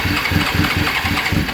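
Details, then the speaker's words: Suzuki GSX-R 750 SRAD, won't start after sitting since September: rapid even cranking with only faint odd firing, some choke applied; sparking is fine, low fuel pressure from a loose pump outlet pipe in the tank. "and you can you can hear it just just firing I'm gonna put choke on so a little bit of chalk try again"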